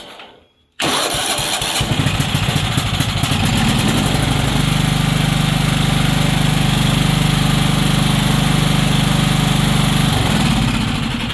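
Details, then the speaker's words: Weed Eater riding mower with Tecumseh OHV130, previously a no-start, after repair: catches after a short crank, then settles into a steady, even single-cylinder thump with no misses or knocks; normal start and idle. "I was trying not to Stitch videos together but you know in the name of showing the the interwebs that this stuff runs"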